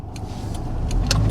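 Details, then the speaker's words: 2000 Toyota Camry at 112,664 miles on a road test after a cylinder 4 and random misfire was fixed: engine note rises smoothly pulling away under road noise, no hiccups, running normally. "no hiccups whatsoever. And these cars are super strong. So as long as they're maintained, there's no issues with these."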